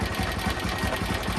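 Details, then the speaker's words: Motorcycle old engine at idle after valve clearance adjustment: quick even idle with faint light tappet tick on each beat, much reduced from before adjustment but still present. "Okay, I can still hear the tick tick sound, but it's way less than before."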